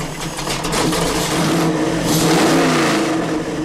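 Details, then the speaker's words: Ford Boss 351-block 427 stroker V8 on the engine dyno, broken in, timing 31 degrees with a 1-inch spacer added: revs up and holds crisp and clean, no misfire or knock; normal revving. "This thing is just so smooth and crisp. Man. Really nice piece."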